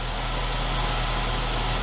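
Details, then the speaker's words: 2003 Saab 9-3 convertible, first start after six months of storage: starts quickly and settles into a low, smooth, even idle with no ticks, knocks or stumbles; healthy. "well that was quick uneventful that's how she usually starts up every year it's just a little like three or four clicks"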